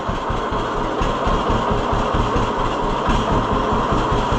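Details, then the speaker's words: 1948 John Deere B two-cylinder tractor after Wico X magneto work: slow, even pop-pop at low idle, about two beats a second, no skipped beats; idles lower than before and fires on both cylinders. "Yeah, that's something. I don't know why I don't think it would have idled that low before."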